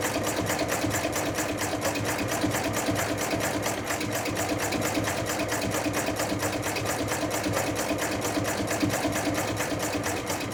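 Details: Chinese-built true mini diesel engine under test, now running rather properly: fast even put-put firing at a steady rate, no misses or knocks; normal running.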